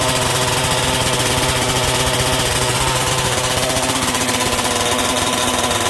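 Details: MCD XR5 71cc two-stroke (Taylor RC "Ghost Rider") after repairs to the kill switch, engine mount, gas tank and front brake linkage: high steady buzz with a fast even beat, no stumbling, running clean until out of gas. Owner is happy with performance; normal running.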